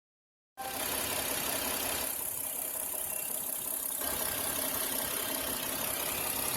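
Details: 2007 Santa Fe (built 9/2006) petrol engine idling with light, fast clicking over a slightly rough, hissy idle after spark plugs were changed a second time; owner considers checking a vacuum line.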